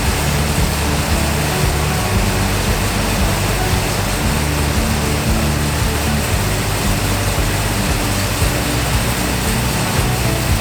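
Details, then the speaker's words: Ford Mustang Mach 1 V8 after carburetor change, new fuel filter and electric priming pump, idle set around 850 rpm (factory 1000): loud, steady, lumpy low rumble with even firing and no knocks; sounds healthy. "I think the engine sounds great."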